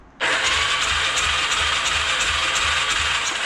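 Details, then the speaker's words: 2007 Yamaha YFZ450 SE build, new wire harness: steady even starter whir with regular compression pulses when starter solenoid is jumped, since solenoid is bad inside; healthy cranking, strong spark follows. "so if i jump it we get spot we get we get it to fire over which i'll show you fire's over no problem"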